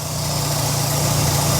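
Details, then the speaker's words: 1993 Mk1 VW Golf Clipper at a breaker's yard, no oil or coolant leaks seen, refurbished alternator: smooth, even idle with a steady low hum and no knocks, ticks or rattles. Engine sounds healthy. "But it's running beauty. No awful sounds or anything."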